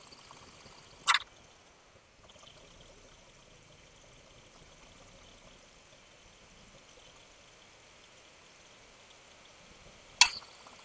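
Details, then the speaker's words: Honda Jazz idling with AC on after replacing the compressor, which had internal noise (not pulley bearing); steady soft hiss, no knock or grinding, compressor noise gone. "એક જે compressor નો અવાજ આવતો હતો તે બંધ થઈ ગયો છે"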